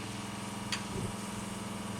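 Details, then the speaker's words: New high-volume pump fitted to a camping shower water trolley with an instant gas water heater: low, steady hum with no pulsing and a whoosh as the burner ignites. It is much quieter with more pressure. "Getting a lot more water pressure, so much quieter as well. I think it's worth every penny in putting this new pump on the water trolley."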